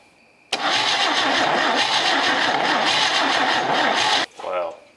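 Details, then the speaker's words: Chevy 250 straight-six from a 1964 C10, long parked, on a compression test: starter spins fast and even with no pulses or resistance, no firing; cylinder shows no compression, other cylinders tested next. "I mean it's not even trying huh that stinks I guess we'll see if any of our other cylinders are making any compression"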